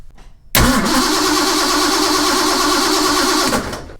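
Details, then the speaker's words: 1969 Mustang with 427 big-block, 10:1 compression, ignition wire disconnected: brisk, even cranking with no dragging after replacing battery cables and terminals that had caused poor hot cranking and arcing; normal fast cranking. "So, there you've heard it. Big block 427 uh 10 to one true compression and it cranked over nice and fast."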